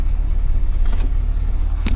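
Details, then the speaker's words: Isuzu NPR diesel after brake booster vacuum pump replacement, now pulling 26 inHg versus about 12 erratic before: steady even idle with smooth low hum, pump running then apparently stopping once the tank fills; normal operation. "You can hear the pump, and then I guess when it fills the tank up it stops, but yeah, that feels so much better."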